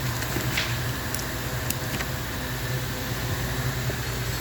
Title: Ford F-150 2018 Engine misfiring when cold starting.